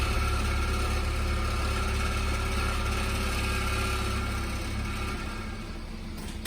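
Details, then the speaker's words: Car with aged main (rear) muffler, in Drive against the brake to load the engine: deep drone with a dull metallic rattle; welds on the baffle inside the muffler have likely broken from vibration fatigue, and the fix is replacing the main muffler. "エンジンをかけるとガラガラ音がする。ギアをドライブに入れてブレーキを踏み、エンジンに負荷をかけるとこの音が出ます"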